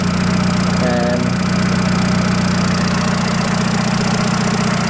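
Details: 2007 Seat Ibiza 6L 1.4 petrol idling after oil and filter change: spilt oil smoking on exhaust manifold, no leaks; smooth, even idle, steady low hum, no knocking or misfire. Normal idle.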